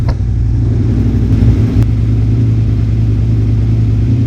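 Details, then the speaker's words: 2001 Suzuki SV650S V-twin after valve shim adjustment and carburetor work, warming up with the idle screw set high: strong, even exhaust note pulling cleanly on revs, no misses or knocks. Tachometer reads 1500–1600 rpm but sounds like 1200–1300. Normal running. "I just want to hear it for a little while. I want to hear it get warm."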